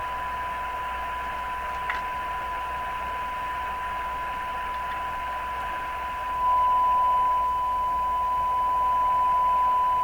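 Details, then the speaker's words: Stromberg Carlson Model 515 radio IF alignment at 455 kHz: steady test tone with static, then sudden clear jump in loudness as second IF transformer secondary is peaked. "We start on the secondary of the second IF. Closest to the speaker, basically, is what we're doing. I'll try to max that."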